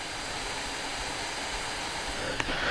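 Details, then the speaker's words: Steam Deck at 15 watts, stock and unmodified, before the tape fix. Steady airy whoosh with a thin constant high-pitched whine over it; the whine eases when the logo is pressed. Cooling fan whine. "So if you press in on the Steam logo, the valve logo, the whining, high-pitched whining goes away a little bit. So it's just a whoosh. Then the whine comes back"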